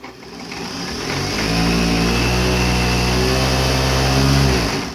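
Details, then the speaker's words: Juki DLN-415 industrial lockstitch sewing machine driven by its original clutch motor, before servo motor install: spins up in about a second to a fast, steady hum with even needle chatter, then winds down; healthy clutch motor at full speed. "So the downfall of clutch motors is that they can be tricky for a new user to control. So just to show you how fast it can be,"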